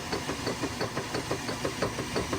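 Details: Direct-drive Kenmore 600 washer after clutch and center-seal repair: light, even knocks about six a second under the agitation swish. A small transmission knock, considered normal.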